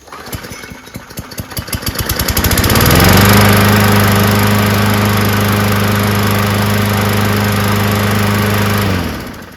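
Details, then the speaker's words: Brand-new Briggs & Stratton E500 primer-bulb engine, unused for a week, primed three times, catches after a few pull-start tugs and settles into a smooth, even run with no misses or knocks; starts normally. "Of course, it's brand new. Why wouldn't it start up?"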